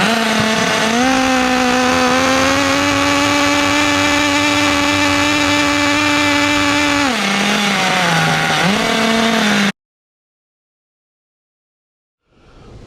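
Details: Restored 2006 OFNA Mutillator nitro RC buggy on first run, idle trim being set: high steady buzzing that sags briefly on throttle change, then cuts dead; small nitro engine running too rich.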